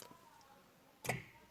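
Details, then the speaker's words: Car just switched back from ethanol to gasoline after two years: pressing brake with aftermarket start-stop kit gives only a single relay click and no crank; owner suspects kit or wiring fault. "mas na hora que eu fiz no freio ele desliga ó tá vendo ele dá apenas um estralinho ali e desliga aí eu piso novamente ele não aciona"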